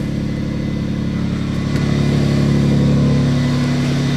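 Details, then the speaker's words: Infiniti G35X on the coldest day of the year after repairing multiple exhaust leaks: even, deep exhaust note rising smoothly with revs, no puffing or ticking at the manifold; now sounds like a normal car, leaks fixed. "sounds like a normal car now yeah almost all the sounds coming from back here now sweet it sounds a lot better"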